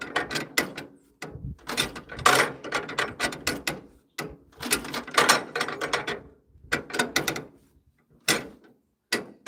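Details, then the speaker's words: 1940s wood splitter with International Cub engine, cold-ish day in the 50s °F, cheap aftermarket carburetor, leaking fuel; hand cranking gives short rough bursts with odd pops, firing occasionally but not catching. Cause suspected, not confirmed. "Oh, I heard it. I heard it again. It's getting close."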